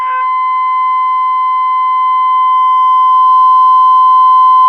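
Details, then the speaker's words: 1932 Philco Junior 80C regenerative receiver, dial at 55, IF trimmer adjusted by ear: steady test tone near 1 kHz slowly grows louder toward its peak: IF alignment peak tone. "so the first step is at fifty-five I've got the dial set on 55 now we're gonna do for max and like I say I'm gonna do it by ear then we go to number two and we do it by ear"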